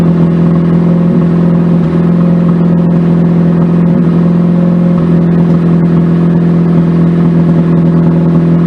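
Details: Mazda RX-8 after throttle body tampering: steady rotary idle with an uneven stumble and pop about every second, a slight misfire that sets cylinder misfire codes when cold; owner hopes new coils, wires and plugs fix it, cause unconfirmed.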